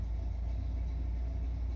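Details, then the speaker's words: Corvette V8, warm, sitting about 5 minutes then revved, after timing change: steady smooth rumble idling noticeably fast; idle speed too high. "She'd been sitting here for about 5 minutes and she was doing good until I revved it up. All right. And that's because now she's idling too high."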